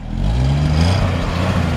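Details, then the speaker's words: 1955 Ford F100 V8 with original-sounding exhaust, light throttle: deep smooth burble rising evenly; exhaust quiet with no leaks or rattles. "give it a little gas let's see that it original sounding exhaust they're"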